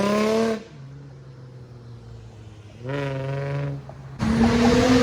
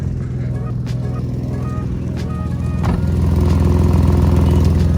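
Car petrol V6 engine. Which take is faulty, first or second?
second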